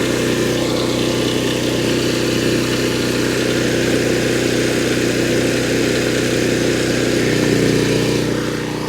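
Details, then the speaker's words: Generator (6-gallon tank) powering the camper air conditioner as the compressor kicks on: steady, even engine drone with no misses or surging. Normal running under load. "Just give it a minute for the compressor to kick on. See? That's it. There's nothing to it. It doesn't care."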